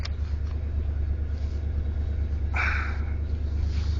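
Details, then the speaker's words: 1980s Ford F150 with 351M V8, started after battery trouble and sitting two days: deep, even rumble holding a steady idle with no misses or stumbles; running normally now. "now it's running good buckle up here"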